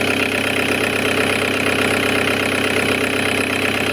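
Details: Audi A6 2.0 TDI, around 2005, that previously started then stalled, with black fuel: after repair including tandem pump and a broken EGR valve flap, steady even diesel idle with no misses or knocks; still smoking while warming up, expected to burn off residue.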